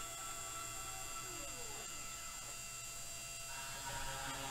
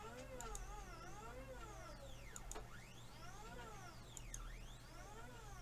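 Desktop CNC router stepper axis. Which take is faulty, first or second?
second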